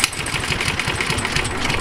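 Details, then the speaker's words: Rover 50 ride-on lawnmower with regular oil changes and cleaned filter, small single-cylinder engine running fast and even, crisp steady patter with no misses or knocks; healthy, any rattle is from the rusted chassis. "so there you go as you see the engine run sweet"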